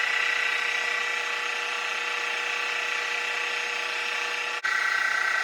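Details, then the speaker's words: Mini Mill after belt drive kit upgrade, low gear (up to about 1100 rpm): steady clean whirring hum, constant pitch, no rubbing, knocking or squeal; much quieter than the old gear drive, lever rubbing gone; normal running. "That is so much quieter. No more of that gear grinding, clunking, clacking."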